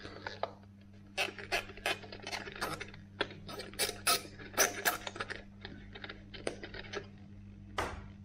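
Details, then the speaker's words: Salvaged 1970s mains clock running on the bench after repair: steady low motor hum broken by irregular scratchy rasps from the gear train; noisy gears, owner suspects some parts are worn. "it's a little bit noisy he makes little journals now and again but there you go some parts will be worn no doubt"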